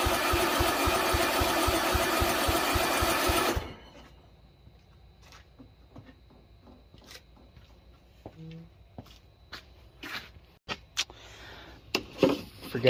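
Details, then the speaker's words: Project mower: starter turns the engine evenly at about four pulses a second but it never catches; cranks but won't start because the fuel tank is empty. "I was wrong with it ain't got no gas in it"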